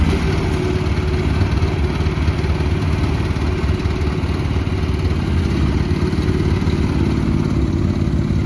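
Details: 2024 FF Industrial FF13 mini excavator, Briggs & Stratton engine: steady low chugging rumble with even firing and no knocks or misses; runs clean and healthy.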